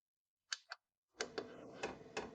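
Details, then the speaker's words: Kroak TB2 8 kW 12 V diesel heater in a case, first start with an empty fuel line after glow-plug preheat: sharp dry clicks, about seven in under three seconds, over a soft fan hiss; the fuel dosing pump working normally. "hear the pump. The clicking of the pump is clearly audible."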